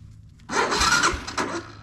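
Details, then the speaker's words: 1985 Honda Fourtrax 250 ATV after rear end rebuild with new drive shaft, new fuel line, fuel filter and new battery; electric start previously not working; starter spins engine briskly for about a second, steady whir, no grinding or clicking; normal starter cranking. "Glad the electric start was working. Wasn't working when I was trying to kick it or uh jump it."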